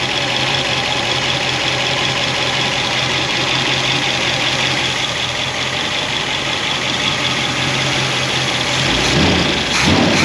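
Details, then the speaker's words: Solid roller lifter engine, not fully warmed up, after finding pushrods hitting inside the head and repositioning guide plates: steady idle with light even top-end tick and slight rocker clatter from lash clearance; normal valve train noise, night and day better. "Yeah, there is a little play inside the rocker arms because of the clearance. It's not totally warmed up yet, but that is night and day."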